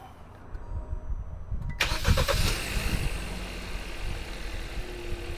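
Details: 2018 Kia Rio S started right after an oil change; the starter cranks briefly and it settles into a steady, even idle with a light tick at first, expected to sound clicky for a minute. Normal start and idle.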